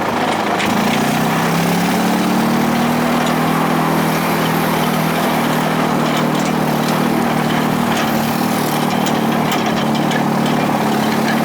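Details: Bolens GroundsKeeper with Wisconsin engine, cold start at about 30 degrees: settles into a steady, even idle with a smooth, unchanging beat; runs clean, normal idle.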